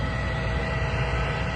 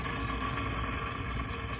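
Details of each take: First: Trane 20-ton packaged rooftop unit with no heat: new replacement inducer motor running, replacing the old one that sounded horrible; low, steady hum with no rattle, scrape or wobble, smooth and healthy. Igniter later found bad. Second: Trane 20-ton packaged rooftop unit on a no-heat call: loud, harsh steady roar with rough rumble and faint whine from the failing inducer motor; igniter also burnt out, inducer motor replaced.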